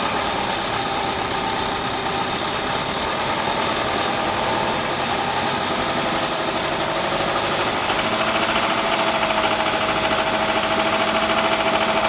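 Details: 1999 Mitsubishi RVR 2.4 GDI (4G64) engine idling: uneven tapping knock about three taps a second over the idle, from 27 seconds in; knock of unknown origin.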